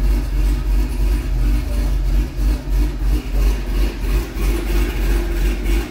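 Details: C6 Corvette V8 after an aggressive cam and long-tube header swap, running the old tune: deep idle lopes unevenly about three pulses a second and sags near stalling, then dies. Rough idle from a tune mismatched to the cam.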